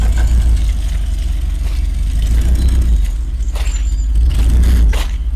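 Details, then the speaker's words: 1986 Rolls-Royce Silver Spirit II, parked since 2022, just started cold with some bad fuel: low idle lurching unevenly, loudness swelling and dropping, one cylinder dead; bad misfire, plan is new spark plugs and checking distributor cap and points. "So, plan today. It misfires quite badly. So, the idea is to put some new plugs in it."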